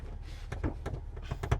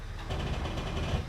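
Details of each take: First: Rusty Jeep Wrangler idling low while being shifted into 4WD low: a quick run of heavy clunks and another single thud as low range goes in. It is not engaging cleanly and sounds bad. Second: Jeep Wrangler test drive pulling away in four-low: steady low drivetrain rumble, no grinding or clunking; transfer case engages cleanly though 4WD indicator light doesn't come on (possibly burnt out). Earlier attempts to engage four-low sounded bad.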